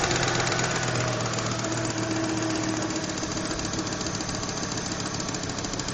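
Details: Volvo 850 GLT 1993 engine running with a fast, somewhat uneven ticking about three or four per second over the engine; source of the tick not identified.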